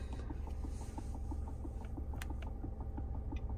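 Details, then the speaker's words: 2015 Nissan Rogue with no heat/AC and no blower at any speed; blower motor suspected. Quiet, even ticking about five per second behind the dash with the blower silent; a bad mode or blend door actuator suspected, unconfirmed. "all right let's turn this up we got nothing but I'm hearing some kind of ticking that sounds like one of the mode doors or blend doors are bad the modules but I hope not"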